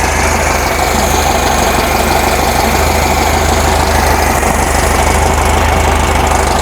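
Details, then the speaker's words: 1973 VW Thing air-cooled flat-four, after transaxle removal and replacement: smooth, even idle with steady low rumble and no knocks or misses; healthy normal idle. "take it Out for a Rip but she's sounding good she's sounding healthy"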